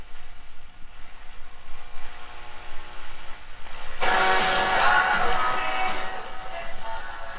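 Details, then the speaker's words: 1946 Zenith 4K035 farm tube radio, recapped, on battery eliminator, tuned to a station at the high end of the band: buzzy, rattly station audio over hiss from a damaged speaker needing patching; set also probably needs alignment. "and it probably would sound better after I patch that speaker a little bit."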